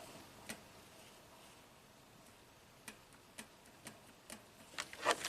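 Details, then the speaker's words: 2015 Toyota Camry 4-cylinder, 125k miles, U760E transmission, P2714 code: SLU solenoid (6.3 ohms, pins 5 and 14) click test gives crisp identical clicks about every half second; all solenoids electrically and mechanically functional. "Everything checks out. All the solenoids are electrically and mechanically functional."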